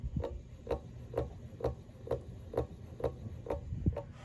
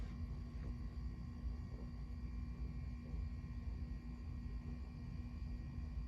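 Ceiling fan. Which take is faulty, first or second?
first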